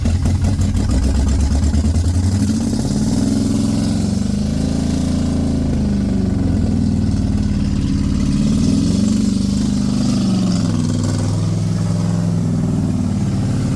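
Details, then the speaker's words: Rebuilt Corvette engine just after its first start, ignition timing still a little off, fluid seeping from the bolt holes or under the carburetor: low, lumpy idle that wavers and stumbles, struggling at low idle; rough idle, cause suspected, not confirmed. "We got this car running and it sounds great. You heard it at the low idle when it was struggling a little bit."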